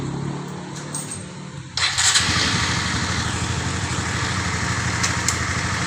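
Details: Honda CB150 Old after a full engine teardown and rebuild for a seized piston and connecting rod: quiet, then fires on the first try and settles into a steady, even single-cylinder idle with no knock or rattle; a normal start and idle.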